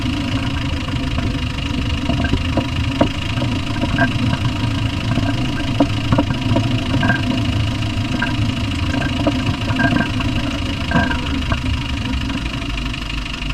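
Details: Land Rover Discovery 1 300Tdi diesel at idle: sharp metallic knocks ticking through the clatter at a steady rate. The cause is unknown; engine knock.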